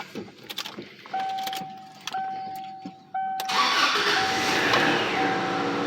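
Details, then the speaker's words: 2001 Subaru Outback 2.5 that cranked but wouldn't start, after a new aftermarket fuel pump and tack-welding the damaged O-ring retainer. Three dash chimes at key on, then it catches and settles into a steady, even idle; starts normally. "cars running"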